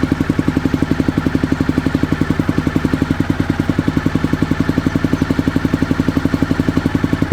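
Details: 2001 Honda VFR Interceptor (Gen 5), barn-stored nearly a decade; uneven lumpy idle, about four pulses a second, suggesting a cylinder not firing; only one exhaust pipe got hot, plugs pulled show good spark, not wet; owner guesses clogged fuel injectors.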